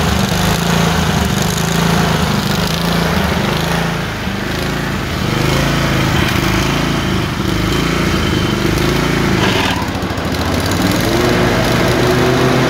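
Small twin runs loud and uneven, speed swelling and sagging every few seconds with ragged skips, a surging engine that misfires intermittently.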